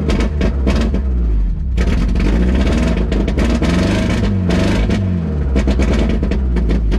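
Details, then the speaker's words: 1991 Mazda Miata 1.6 L (abandoned) running through chopped-off open exhaust: loud, uneven low rumble with a stumbling beat, rough running. Owner suspects engine may be out of time; cause unconfirmed. "so it's definitely not happy does sound like it might be out of time but it runs"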